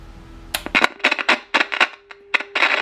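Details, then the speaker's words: CB SSB radio about 45 years old, as found, just switched on: irregular scratchy crackling bursts over a faint steady tone from the speaker; dirty potentiometers needing cleaning. "Oh, you hear that? That's because these potentiometers are dirty. They're full of crusties in there."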